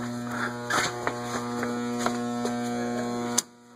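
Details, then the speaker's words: Antique Robbins & Myers five-blade ceiling fan with preheat fluorescent light, just installed, running on low: steady low motor hum with a faint even ticking, then a clean cutoff. It runs normally, a fairly fast low; a capacitor value change is planned. "Okay, put the light on. Yeah, it's a pretty fast low, actually."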